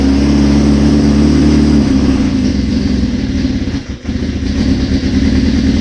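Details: 1981 Suzuki GS650GL under rebuild, first start on choke with new battery, fresh plugs, oil and pod filters: settles from a steady drone into a slightly lumpy but continuous run with no knocks; owner suspects a small carb fuel leak.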